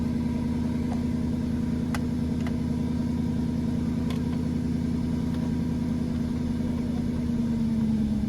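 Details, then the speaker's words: 2002 Northstar, previously misfiring (P0300/P0121) with a surging idle, running on a little poured-in gas because of a fuel leak: a smooth, even, steady low hum, a big improvement; a normal idle. "Start running time. Big time improvement."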